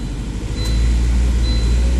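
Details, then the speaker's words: 2004 Volvo S40 after replacing the ignition coil and making sure the cylinder 3 coil clicked in, which also feeds cylinder 2: steady, even four-cylinder idle with no stumble; the earlier shaking and horrible noise are gone. "The shaking problem that I had is gone. And it sounds great."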